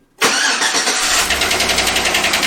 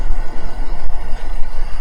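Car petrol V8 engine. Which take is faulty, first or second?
first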